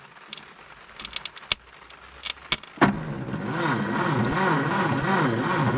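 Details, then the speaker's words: 1962 Hillman Minx abandoned in the woods for 40 years, engine turns free, carburetor leaking (crack or bad gasket unsure): slow, sluggish, uneven cranking at about three turns a second, likely too slow to fire; slow cranking, no start. "we're gonna see if she'll even try to hit i doubt it because she'd be spinning too slow but it is worth a shot just for fun"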